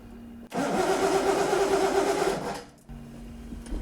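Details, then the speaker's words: Starter churns steadily at about three turns a second for two seconds and never fires; there is power to the coil, but it is unclear whether the distributor gets any. The coil is suspected dead (previously bypassed), not confirmed. "Do it again. No power to it. Have we got a spare coil?"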